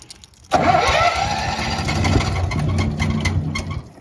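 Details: Honda EB11000 generator on 20 lb propane tank in cold weather, restart after stalling with load off; short crank, catches, runs rough and uneven then sags; owner suspects fuel valve tripped, hard starting.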